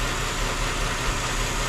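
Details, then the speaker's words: 2008 Chrysler 300 2.7L idling after water pump and timing chain job, cylinder 1 misfire: steady hissing air over slightly uneven rumble, leaking intake manifold gasket; upper and lower intake gaskets to be replaced. "Yeah, I can hear that leak. Air leak down in there."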